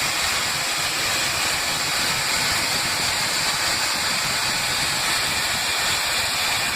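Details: Airliner cabin on a Delhi-Srinagar flight: loud, constant high hiss without rhythm over the cabin hum, coming from near the front exit door; source not identified.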